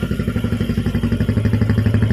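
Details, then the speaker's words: Jupiter MX single-cylinder idling after a full rebuild: new Indopat block set, timing chain, clutch, water pump parts, conrod and crank bearings. An even, steady putter at about ten pulses a second, no knocks or rattles. Healthy; it previously smoked and now runs clean. "to the sound, okay, you can compare it with the initial sound before repairing, Bro."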